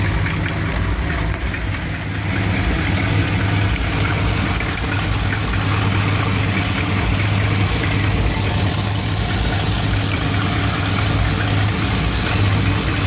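Warm V8 idle with a deep, uneven loping beat that stumbles and hunts instead of running smooth; rough idle, cause unknown.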